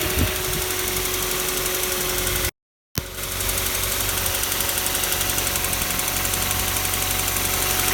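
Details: Kia Soul 2 1.6 engine at cold idle: a fast, uneven ticking knock, roughly four a second, over the engine; cold-start knock, cause unclear.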